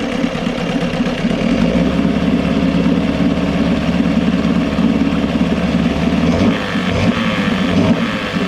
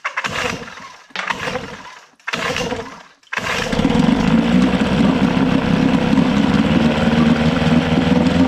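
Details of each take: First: Johnson 6hp two-stroke outboard, compression and spark good, hard to prime when cold: busy steady drone that stumbles and sags when throttled. Lean bog on acceleration, attributed to the float set too low so the bowl ran out of fuel. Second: Johnson 6hp two-stroke outboard after fuel pump and all fuel lines were replaced, carb float corrected and starter refitted: three pull-start bursts, then it catches and settles into a steady, even buzz. Normal running.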